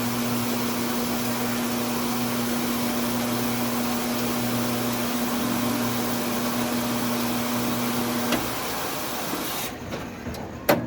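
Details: 18 lb commercial washer: steady electrical hum with a few clunks, timer runs through but drum never spins or washes; faulty front door start solenoid, works fine after replacement.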